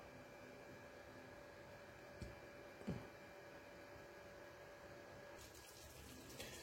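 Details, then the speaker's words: LG 8 kg top-loading washing machine (T2108VSPCK, Smart Inverter Motor, TurboDrum), bought May 2023; a soft, even rush of water through the inlet hose with no hammering or valve chatter. Normal water fill. "ini 3/4 ini 3/4 kemudian baru masuk ke ee selang selang masuk air dari e mesin cuci"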